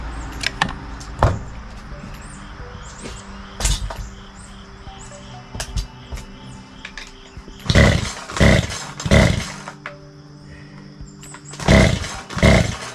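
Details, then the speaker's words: Craftsman 42cc 2-stroke chainsaw (Poulan Wild Thing type), full choke pulls then starting fluid in carburetor with throttle open; only weak isolated pops, never runs; compression feels weak, scored cylinder suspected; low compression. "I'm a little concerned about this. We'll have to check into it, but the compression seems to be a little off. It seems a little weak, so we'll have to check that before we get too far into this."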